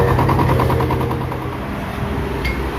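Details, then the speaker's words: Spark 135i before engine repair, idling: fast, heavy, irregular rattly knocking about three per second; crankshaft big-end bearing worn, fixed by replacing connecting rod and crank pin bearing and fitting an upgraded 58.5 mm piston. "อย่างนี้ได้จะเป็นเหมือนเสียงข้อเหวี่ยงนะครับครับเดี๋ยวเราจะพอดูครับ"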